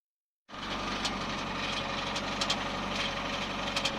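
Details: Subaru with automatic transmission, engine running: light sharp knocks about every half second over the steady hum, sometimes stopping altogether; cracked automatic-transmission flexplate (drive plate), confirmed after engine removal, crack running around a bolt hole.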